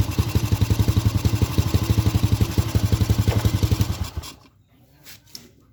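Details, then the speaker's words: Honda Supra Grand carbureted motorcycle with black fouled plugs and stalling: dull muffled thumping about four beats a second before the engine dies; running rich, plug wet. "Saat memeriksa konsumsi bahan bakar, busi tidak kering. Suaranya"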